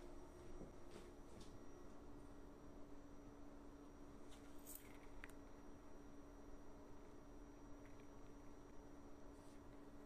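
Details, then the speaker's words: WEMAX Nova 4K UST laser projector, about a week old: a constant faint high-pitched electrical coil whine above the soft fan hiss, starting when the laser initializes and lasting the whole time the projector is on. "i noticed the high pitch noise coming from the projector which is very annoying and very destructive so i will show you what the noise sounds like"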